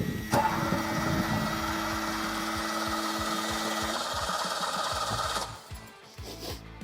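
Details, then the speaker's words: Ferrari 308 GTSi that would not run, cranked with ether: starter whirs steadily about five seconds, never catches, no fire, no spark; plugs likely fouled from running rich; no-start. "nothing no fire no spark sounds like he's"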